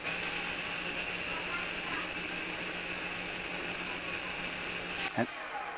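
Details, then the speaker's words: Audi Q5 rear electronic park brake closed via diagnostic tool (F3) after pad replacement: a thin, steady electric whine for about five seconds ending in a soft clunk as the motor winds in to its original position normally. "we want to close our rear parking brake now that's f3 listen carefully and you can hear the motor winding in as it gets back to its original position"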